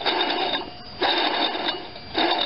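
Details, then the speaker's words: Alternator removed from a 1993 Chevy S10 with a non-Vortec 4.3 TBI V6: three hand spins give a gritty, dry rattle that fades each time where almost nothing should be heard; worn bearings, alternator replaced. "You should basically hear almost nothing. She's shot. Sometimes it's not the power generating parts, but the bearings that go."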